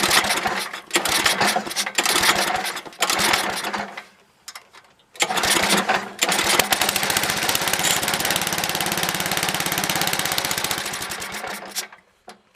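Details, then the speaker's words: Toro 724 7 hp 24-inch two-stage snowblower, unused about two years. On choke, uneven sputtering bursts die out, then a ragged fast chatter fades. It runs only with choke partly open; the dirty carb needs tuning or removal. "Alright, I did start this first start off camera, but first start on camera, it runs when the choke is not all the way closed, but the first notch opens. So we got to tune this carb."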